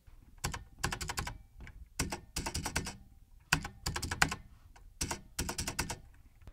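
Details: Plate-mounted Cherry-style stabilizer spacebar on a Z70 mechanical keyboard after dielectric grease fix, crisp keystrokes with clean tight spacebar thocks and no rattle.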